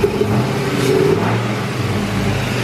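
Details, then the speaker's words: LS-swapped Cutlass after a throttle stop adjustment and a new tune file: uneven, stumbling revs with broken exhaust pulses and a hesitation on throttle, heard through the throttle body. A misfire, cause not yet found. "comes right back down to idle but it's definitely got a hesitation and you can hear it misfiring through the throttle body here"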